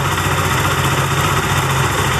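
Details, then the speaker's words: Benelli TNT25 250cc motorcycle that three mechanics failed to diagnose, at idle: a thin, bee-like buzz rides over the engine note, heard more on the camshaft side. Abnormal engine buzzing, source not yet found. "Ah pero el ruido en sí es ese que hace como una abejita como una yo lo escucho más de este lado en la zona de los árboles del leva"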